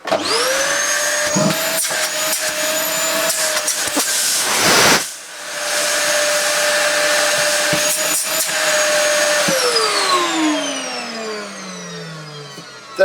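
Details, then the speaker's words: Dyson DC08 vacuum found by the roadside, original plug, hose refitted and switched on: motor spins up to a steady high whine, briefly dips, then winds down smoothly; works very well, normal motor run. "is nothing wrong with that at all that works very very well"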